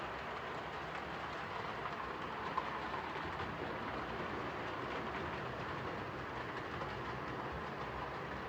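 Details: Hornby R2553 Princess Coronation Class "City of Bristol" model locomotive after repair of mangled rods and noise issues: even, steady running hiss with light rail clatter, no stumbles or binding; normal running.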